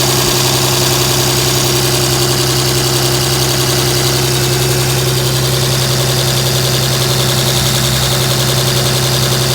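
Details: 2007 Dodge Ram 5.9 Cummins diesel, loud idle with uneven lumpy pulse around 160 a minute, rough for about a month. Intermittent fuel rail pressure sensor, MAP sensor and overboost codes (no boost fooler fitted); owner wonders about excess blow-by; cause not found.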